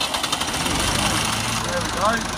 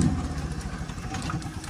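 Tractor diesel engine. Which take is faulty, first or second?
second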